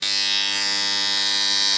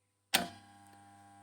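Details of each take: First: Motor starter making loud noise: a loud, steady, harsh electrical buzz from a contactor not pulling in cleanly, before a simple homemade fix. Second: Motor starter after tightening the nut and refitting all three fuses: one sharp contactor clack on pull-in, then only a faint steady hum; the loud starter noise is gone.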